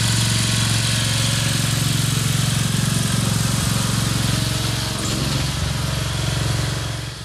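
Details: Craftsman LT2000 riding mower, Briggs 17.5HP engine, test run after cleanup, oil topped off with Lucas additive: steady single-cylinder drone with firm low pulse, no misses or knocks; running real sweet, normal.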